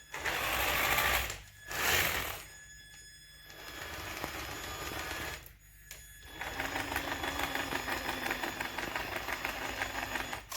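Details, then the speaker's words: Traxxas TRX-4 RC crawler: quiet when moved by hand, but under motor power a rapid, steady clatter of clicks over the motor hum, like a tiny diesel; the clicking comes from the gearbox. "the clicking is definitely coming from the gearbox"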